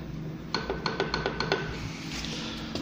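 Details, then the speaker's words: UAZ 417 engine, crank turned slowly by hand: sharp metallic clicks about six a second from connecting rod bearings 1 and 2; connecting rod bearing knock. "на нем проверну 32 шатунного вкладыша вот слышно стучит 1 и 2 также самых"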